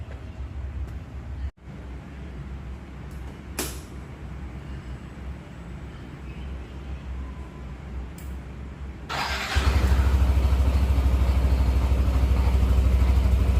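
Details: 2016 Yamaha NMAX scooter with 2,400 km, just serviced with new engine oil, gear oil, spark plug and air filter: quiet low idle stepping up to a steady, even low thrum with no knocks or rattles; smooth, healthy engine.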